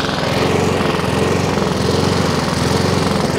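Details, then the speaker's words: Three-week-old Honda Izy mower, GCV145X engine, used twice, auto choke confirmed off: after about a minute running, speed rises and falls about once a second; hunting from partly blocked carburettor emulsion tube, fixed by carb service. "so she did fire up and showed me what it was doing after a minute or two it does start hunting surging"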